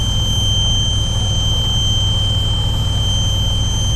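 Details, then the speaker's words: Truck cab on a slippery driveway, hauling a load from harvest. A thin, steady high whistle sits over the deep diesel rumble: air is escaping from a leaking valve. "As you can hear, there's an air leak in one of the valves."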